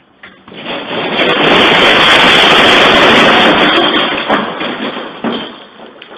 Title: Bad starter